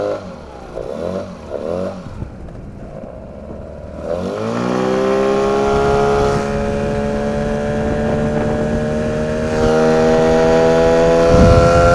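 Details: 9.8 motor: the engine catches after some handling noise, then a steady high whistle rides over the motor and climbs slightly as it speeds up; the source is undetermined.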